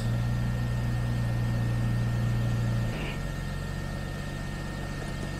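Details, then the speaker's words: Jaguar XJS V12 convertible automatic transmission after fluid service and top-up, on lift; steady even idle hum, pitch drops slightly into gear with no whine (previously whined when cold, in reverse); normal, no noise. "it feels really nice and distinct when going into gear no noise at all"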